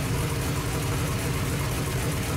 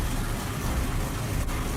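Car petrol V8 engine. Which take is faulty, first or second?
second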